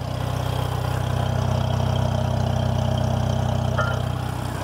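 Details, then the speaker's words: 1964 Farmall Cub tractor, recently revived with a new carburetor and switched to 12-volt: a slow, steady low thump at about three beats a second, even and unbroken; a smooth, healthy idle. "sounds really good new carburetor"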